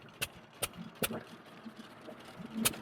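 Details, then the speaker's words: Hercules Economy 7hp hopper-cooled buzzsaw engine, still warming up: sharp single bangs about 0.4 s apart, then long coasting gaps before the next shot. Uneven firing; throttle/fuel adjustment thought needed. "Sounds like we need to make a little throttle fuel adjustment here."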